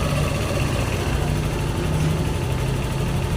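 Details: Yamaha Aerox scooter after throttle body and injector cleaning and ISC reset: steady, even low idle with no hunting or misses, no fault codes; healthy idle.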